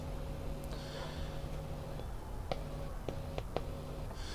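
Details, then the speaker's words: Hacker Herald RP30 transistor radio, power amp section at 18 V: quiet steady low hum with faint higher buzz and handling clicks from the speaker; a loose electrolytic capacitor is suspected faulty. "I don't know if you can hear that I'll turn it up all right so there's something very wrong with this capacitor here"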